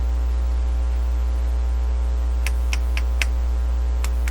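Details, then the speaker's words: Dominion Electrohome TR50 console with BSR 610 record player, cartridge output fed into a microphone input and heard on headphones while one channel was dead: loud steady low mains hum on the right side, with crackles as wiring is touched. "oh the right side you can hear the hum come up if I could hear this before here's a little bit [Music] now it's that audio sound or is that electrical static from touching stuff turn it up a little higher"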